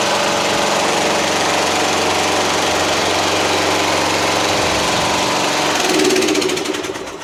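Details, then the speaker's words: Yard Machines MTD hydrostatic lawn tractor repowered with Toro 12.5hp Briggs flathead, deck removed, test drive on driveway: loud steady single-cylinder putter holding even speed while driving, easing off at end; normal running. "Hydrostatic. Actually pretty fast. Pretty good."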